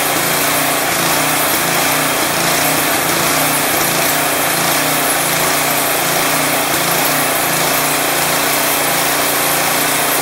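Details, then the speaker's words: Craftsman 22-inch snowblower with 179cc Powermore single-cylinder engine, previously surging and smoky, now off choke after Seafoam added: idles smoothly and evenly with no surging or hunting, only a very subtle slight irregularity. "It has a little bit of a slight, I don't know if you guys can hear, it's very subtle. It actually idles pretty nice. Not too shabby."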